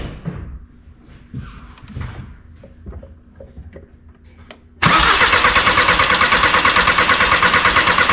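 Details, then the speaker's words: 2003 VW Jetta 1.9 ALH TDI after swapping in an 11mm Bosch VE injection pump that sat 5 years, injector lines off to check fuel from delivery valves: loud even cranking churn about three pulses per second, never firing. "let's crank it over and see if some fuel comes out of these delivery valves here"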